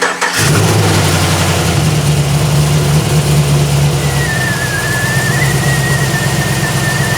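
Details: 2008 Pontiac G8 after broken fan blade replacement: engine fires promptly and settles into a smooth, steady idle; fans on but barely audible, no rubbing or rattles; all healthy.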